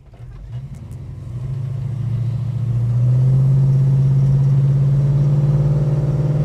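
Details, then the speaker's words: Holden HK, warmed to operating temperature, under full throttle: heavy low drone that deepens as revs rise, sounds different than before; source unknown. "See there, sounds very different to it used to. I don't know what that noise is, but it doesn't sound right."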